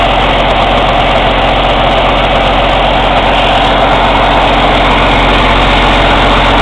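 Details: Cummins ISX CM2250 diesel during DPF regen: loud, sharp, airy chuffing from the intake about two to three times a second, with no mechanical or metallic noise from the engine; owner suspects turbo chuff during regeneration.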